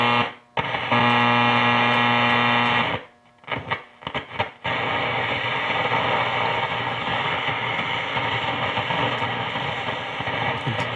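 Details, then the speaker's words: Grundig Satellit Transistor 5000 shortwave radio, shortwave 5–10 band: steady hiss and crackle with dropouts, no stations received; band switch contacts suspected dirty and needing cleaning. "So I'm not hearing anything there, so let's go this shortwave 5 through 10 over on this side. You can hear it's kind of connection. Need to try to clean that. But at least we're hearing static, so that's a good sign."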